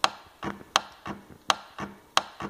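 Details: Hartman A700A0-6 reverse current relay bench test: crisp sharp click then softer click, repeating about every three quarters of a second; relay pulling in and releasing normally.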